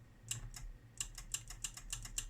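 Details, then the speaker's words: Brüel & Kjær Type 4416 Response Test Unit: a relay gives sharp, crisp clicks about every third of a second over a quiet low hum. The relay starts the recorder on manual start, switching normally. "der er et relæ i her, så hvis du starter manuelt, så aktiverer du relæet, og det relæ starter din optager i orden"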